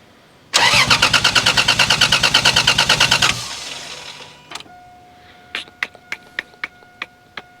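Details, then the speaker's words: 1987 Toyota Supra with a 2JZ-GE and T70 turbo, sat two years, first start attempt: the starter churns at about three beats a second with no firing. It cranks but won't start from fuel starvation; five of six injectors were found dry. "The reason this thing wouldn't start, it seemed like it wasn't getting enough fuel."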